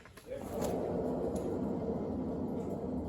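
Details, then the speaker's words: January 2012 car's front wheel, found hot after a road test, spun by hand: a rough, gravelly rumble that rises and holds steady. Dry, worn sealed front wheel bearing. "all right give it a spin that sounds pretty noisy doesn't it sounds like a dry bearing to"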